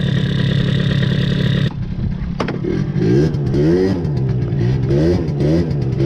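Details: MBK two-stroke scooter after intake filter change enriched the mixture, free intake and exhaust: buzzing, then blips with revs rising and falling sluggishly with a muddy burble; carburettor running too rich.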